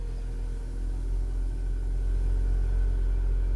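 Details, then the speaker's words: Salvage Range Rover rebuild, air suspension previously not inflating because access-height button was pressed; released, raising to off-road height: deep steady hum at constant pitch, no rattles or straining; front suspension rises normally. "So we're now right up in the air. We'll have a quick look at that. 2 seconds. There we go. Right up in the air. Front suspension is up."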